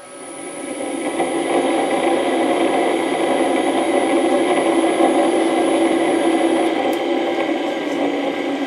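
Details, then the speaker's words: Original 1941 Westinghouse 1 HP three-phase lathe motor run from a VFD at 60 Hz: steady hum with rough, gritty rumble of worn bearings; motor to be disassembled, bearings replaced, sawdust cleaned out. "so she runs and Ashley blues a ton of air there is some bearing noise in there that you hear and you hear that bearing noise but that's a she definitely runs"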